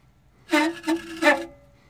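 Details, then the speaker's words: 1990 OMC Cobra 5.8 L marine engine, water pump shaft turned by hand during teardown: three harsh reedy squealing bursts, metal-on-metal grinding from a badly worn water pump bearing. "so we've got a combination of metal grinding metal sounds and to give my viewers an idea here this is probably the worst sounding bearing I've ever heard before"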